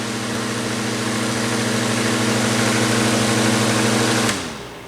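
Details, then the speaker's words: Older Honeywell HT-803 turbo fan with noisy motor bearings, worst tilted back, also bad level; steady motor hum with rough buzzy hiss from worn bearing, then switches off, before trying extra bushings. "it is number HT 8:03 and a bearings are a little noisy the worst one is tilted back"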